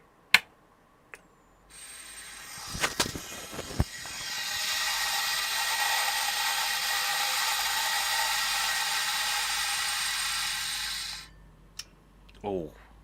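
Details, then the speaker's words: Vintage IBM PS/2 Model 50z (286) hard drive, microphone beside it: loud rough ratcheting grind for about ten seconds, then abrupt stop as the disk spins itself down; caps suspected. Hard drive grinding and spin-down. "Let's just really grind it up. I'll leave the the microphone by the hard drive when we spin this."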